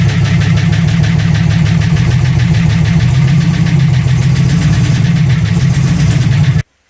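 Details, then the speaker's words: TVR on MS2 ECU converted to VAG coils running: deep, lumpy exhaust pulse about four beats a second that stumbles until shutdown; spark test showed coil output C dead, traced to a loose solder on the connector. "So as I kind of suspected, I did a spark test on the test mode on the Tuner Studio, and A and B was working. I could hear them ticking, but C wasn't."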